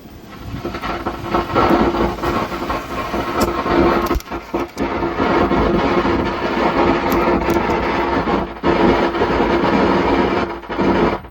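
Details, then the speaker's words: 120 W amplifier switched on: a thunder-like rumbling crackle and hiss from the output, with the sound dropping out briefly now and then; under repair. "ये देखिए आवाज बंद जा रहा है कभी-कभी। चलिए इसको हम बंद कर देते हैं। आपको मैं सुना दिया हूं कि आवाज देखिए किस प्रकार से इसकी आवाज मिल रहा था। जैसे लग रहा है कि बादल गरज रहे हैं ऐसे आवाज आ रहा है।"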